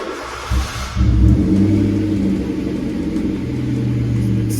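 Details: High-mileage Skoda Fabia 1.2, slightly misfiring, needing coil packs: deep loud drone with blatty low rumble, exhaust leak from a broken-off rear silencer, before fitting a new one.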